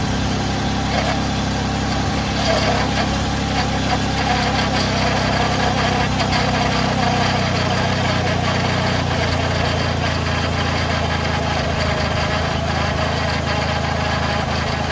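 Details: Ford Freestar after power steering pump replacement, engine started: catches and settles into a steady, even idle with only a faint pump whine and no belt squeal; normal idle.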